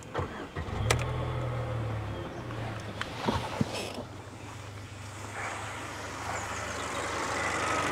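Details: Mercedes A-Class A160 after repair: engine catches cleanly and settles into a steady, silky-smooth idle with no rattle or ticking; the earlier noise was the engine's bottom pulley, not the water pump as first suspected.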